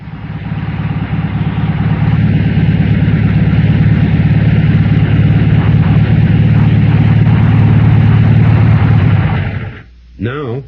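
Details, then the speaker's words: Air-cooled Volkswagen four-cylinder engine at normal idle, all four cylinders firing: steady, even low rumble with no skipped beats, for comparison with a missing engine. "Here's a normal engine idling on all four cylinders."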